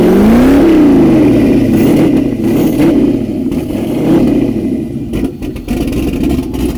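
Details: Turbo LS V8 swapped Miata on first start with the turbo fitted, running the old tune with the O2 sensor unplugged and the exhaust dumping out of the downpipes. Loud, raspy open exhaust with revs that surge, sag and stumble. Rough running, cause suspected, not confirmed.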